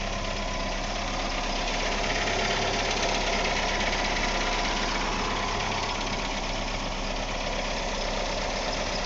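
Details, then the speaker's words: Ford Escort ZX2 (1998/99) engine with about 120,000 miles, fuel bypassed to the rail and no coolant: steady, smooth idle with a faint quick ticking. It is mild valve tapping; otherwise the engine runs evenly. "it sounds good I mean it's got a slight tapping in the valves but I haven't seen very many Z x2s that don't"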